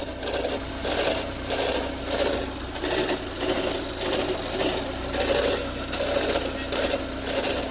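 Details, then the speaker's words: 2017 Chevy Equinox, recently bought, after running 10–15 minutes, no check-engine light; repeating raspy bursts about one and a half per second over low engine hum; ticking noise of unknown cause. "Had her started now for over 10 minutes. Wasn't making that noise. Um, but it's now it's making that noise."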